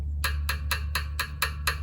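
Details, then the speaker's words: Well water pressure tank tap test after a thermometer check of bottom versus top: dull, dead knocks low on the tank, turning more tinny higher up; water-filled bottom indicates the bladder is fine and the tank normal. "hear how dead that sound is now as i go up the tank you're gonna hear it more tinny hear that"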